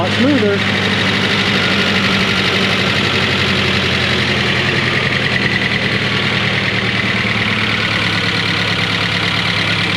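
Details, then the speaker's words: Engine in a 1993 Ford Ranger, first start after fixing a main-harness power wire, cold: steady even idle with a smooth low thrum, no misses or knocks, running a lot smoother; oil pressure and charging good. "that's nice little noisy um everything's dry and drain so should warm up a little [Music] bit sounds like it's running a lot"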